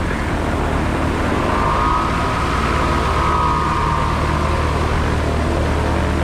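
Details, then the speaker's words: Pipistrel Velis Electro electric plane in flight, battery-powered with cooling fan: steady propeller drone under heavy wind rush, faint tone swelling mid-clip, no roughness; electric motor and prop running normally. "as you can hear it's still quite uh nothing quite quite a lot of noise it just stops"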